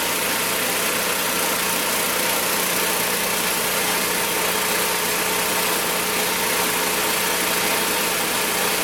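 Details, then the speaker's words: Magna air compressor, circa-1983 Briggs and Stratton engine, sat 5 years, first start on carburetor alone without carb cleaner: smooth even steady buzz, no misses or knocks; runs awesome, reaches 100 psi, owner may raise to 120. "well guys it runs awesome gets up to 100 psi i might pop that up just a little bit higher closer to 120"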